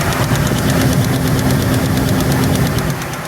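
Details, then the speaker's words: AE86 drift car at idle after coming off track: rough idle with a fast slapping tick about three times a second; owner feared rod knock, but the alternator belt is shredded and needs replacing. "Looks like the alternator belt is shredded, so now I gotta take it apart, put a new one on."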